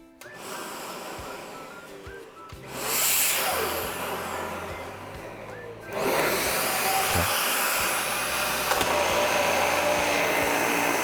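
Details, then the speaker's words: Dyson vacuum found in the trash, after cleaning the filter and brush bar and clearing a blocked plumbing section that had caused no suction: motor rises to a steady high whir, then the brush bar joins with a stronger roar; suction restored. "all right Laney we have demonstrated that the vacuum now indeed sucks"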